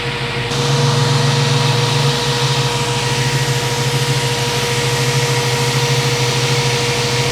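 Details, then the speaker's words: 1967 Ford Mustang 302 carbureted V8 idling steadily with a thin airy hiss over the low rumble; vacuum leak from a bad hose, idle mixture screw having no effect. "Yeah, it sounds like it's vacuum leaking before I took that off, too."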